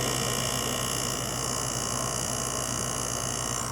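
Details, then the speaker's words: LG 6000 BTU window air conditioner, single-phase GMCC rotary compressor with fan motor, heard up close from outside: even, steady hum and buzz with fan hiss, no knocking or rattles, rotary compressor running normally. "It has a GMCC rotary compressor in it, and a broad fan motor. Hear the compressor a little bit better in here. GMCC rotary, one phase."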